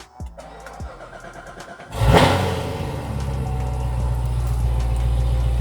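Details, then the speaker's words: C7 Corvette Z06 cold start after sitting over a week: starter whirs briefly, engine catches with a sharp pop and loud flare, then settles into a deep rumbling idle; owner suspects a possible exhaust leak, cause unknown. "Bro, I don't know if the camera picked that up, but did you guys hear that little pop? Whew, that is scary."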